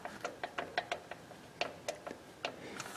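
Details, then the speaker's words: Lotus Elise stock shifter mechanism before LETSLA shift kit replacement, lever worked up and down: a dozen sharp, uneven plastic-metal clicks; free play in the shift linkage moving parts. "I'm pulling up and down on the shift mechanism and you can hear there's play in the moving parts in the mechanism"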